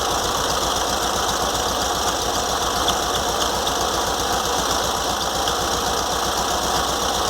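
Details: VW Fusca (Beetle) air-cooled engine at idle after spacing the alternator fan from the fan shroud with washers, cleaning the shroud and carburettor: steady high whir over an even idle remains, owner suspects a worn alternator bearing.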